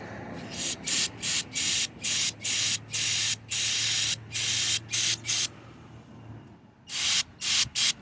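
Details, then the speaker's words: Honda CBR600RR fuel injector, engine fitted in a golf cart after sitting for years, being cleaned and bench-fired off the engine from a battery: sharp, even hissing spray bursts with clean cutoffs, spraying through and atomizing properly; normal injector spray. "turn the battery on and it's starting to spray out the other side"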